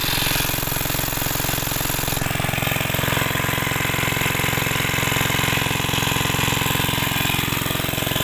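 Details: Greaves MK12 single-cylinder petrol/kerosene water-pump engine thumping along at a steady, even beat without stumbles or knocks; running properly.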